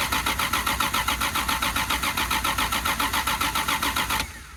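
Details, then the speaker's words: 1979 Plymouth Volare wagon, sat 4 years in a junkyard, little fuel in tank: starter churns steadily, nearly four pulses per second, no firing; cranks but won't start, fuel pickup suspected. "I think I'm gonna crawl up underneath the back of this car and see if I'm leaking any of this fuel out or something, because I don't know why it's not picking nothing up."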